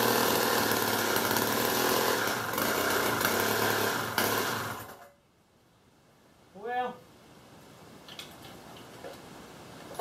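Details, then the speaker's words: Old Wright gas-powered reciprocating saw, in rough shape after years unused: the small engine buzzes steadily at high revs for about five seconds, then cuts out. It does run now that fuel is reaching it, but the carb obviously needs going through. "well here's what i can say about it it does run it obviously needs the carb gone through i think once we do that it's probably gonna run good"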